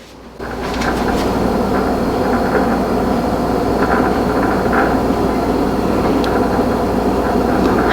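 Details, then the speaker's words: Refrigerator in a newly bought house's kitchen makes a loud, steady buzzing rattle with sharper clatters, heard from the other room and first mistaken for the toilet; the source inside the fridge is not identified. "now we can actually hear that rattling noise in the other room and that's actually i don't know i thought there was something wrong with the toilet in the bathroom because the rattling noise kept making all this weird noise"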